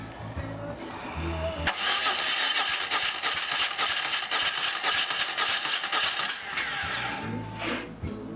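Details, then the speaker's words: 2004 BMW R1150R, 22,711 miles, in for a no-start: battery fine at 12.2–12.3 V, starter was faulty; starter now spins the twin briskly and evenly, no dragging or clicking, cranking strongly, though it runs poorly. "So, this bike had a shit starter, battery was fine, get it all together, it runs like a bag of shit. Cranks over nice though."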